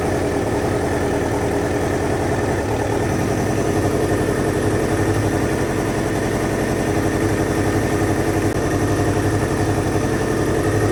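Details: 2000 Kawasaki Ninja ZX-7R 750 with no tank fitted, just revived from no-crank/no-start with the fuel pump reconnected, still warming up: even, steady low idle pulsing about four times a second, no misfires. Normal idle, may need more warm-up; owner thinks the carbs need cleaning.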